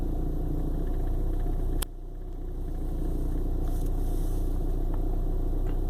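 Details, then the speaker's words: 1995 BMW 318i at idle: uneven, lumpy idle with low rumble and irregular stumbles, sputtering as if misfiring despite new spark plugs; hard, rough start that comes and goes from day to day; cause unknown. "It does this on and off from time to time. One day it starts good, next day it's just shaking."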